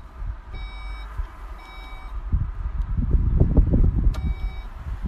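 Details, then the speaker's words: Skoda Kodiaq Sportline power tailgate: sharp, evenly spaced beeps while the motor hums and clunks. Pressing and holding the button until it beeps sets a custom opening height; normal operation. "then press and hold the button until you hear the beeps again and that will set"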